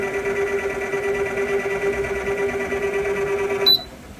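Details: OTTO AP155: steady mid-pitched whir with a buzzy edge, running evenly then cutting off with a click; abnormal whine, cause not clear.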